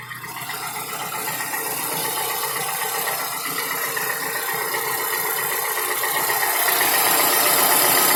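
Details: Toyota Camry XV55 with 2AR-FE engine, warm idle: rapid regular ticking knock, about four per second, over the idle hum, louder as revs rise slightly; dealer found nothing, con-rod knock ruled out, owner checked the chain; source unknown.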